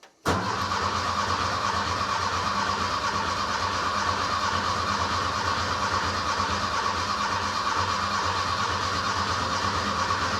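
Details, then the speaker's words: Rebuilt Porsche 912 engine with remote oil filter, first start: about ten seconds of steady cranking with fuel pump relay out and coil disconnected to prime oil pressure until the oil light goes out. "there we go the light is out so we have oil pressure and it just came back on so it takes a little while for the oil pressure to bleed off but we now have the engine primed and ready to run"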